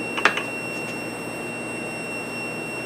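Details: CNC plasma torch breakaway switch, which the owner says is wired the wrong way. A steady high-pitched electronic buzz follows a few brief clicks; the switch has opened when the torch came off, tripping the alarm.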